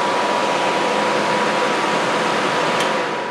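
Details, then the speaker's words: Homemade 15 kW electric heater attachment on a blower. After it is switched off the elements go off, and the blower's steady airy rush runs on for a few seconds, just starting to fade as it cools down. Normal blower run-on. "so now I'm gonna flip this off the elements should come off and the blower should stay on for just a few seconds"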